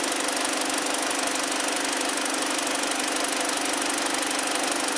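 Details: 2012 BMW 318i, about 52,000 km, no fault codes, warming up with engine at 48°C, oil 42°C, battery 14.8 V: even, steady idle with regular beat, no misses or knocks; normal idle.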